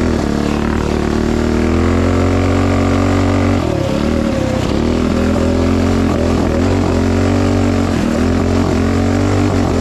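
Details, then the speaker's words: Tillotson 228cc MKII racing engine: briefly sags and stumbles with spitting each time throttle opens, then picks up cleanly; off-idle tip-in hesitation, cause unconfirmed, spark plug to be checked. "Yeah, it's right when you get on the throttle, no matter what. Right when you hit it, it's got a little lull, and then it's fine."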